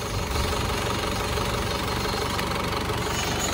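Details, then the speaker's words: Warm Panther diesel at about 78 degrees after an oil and compression leak repair, pistons not replaced. Even idle with only light clatter, no misses or knock. The engine sounds healthy. "Nah, yang jelas sekarang adalah suara mesinnya halus, padahal kita tidak mengganti piston, kan?"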